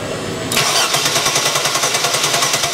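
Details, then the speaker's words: 1997 Chevy Blazer 4.3L CPI Vortec with good spark that fires on propane, cranked with a charger in jump-start mode: fast, even cranking that never starts. Fuel pressure below 50 psi is too low for the poppet injectors; crank, no start. "Still not enough, but still it's something to consider if you guys get these vehicles in with with low fuel pressure on these CPI systems with these mechanical injectors, half electrical, half mechanical,"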